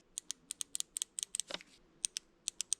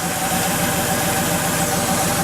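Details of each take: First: Porsche 911 3.2 Carrera fuel injector bench noid test: crisp, sharp, identical ticks about five a second with no buzz; this injector clicks normally, unlike the bad cylinder 5 injector. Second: Porsche 911 3.2 Carrera, idle about 200 rpm high: unplugging the cylinder 4 injector leaves idle unchanged, so the dead cylinder followed that injector; faulty injector.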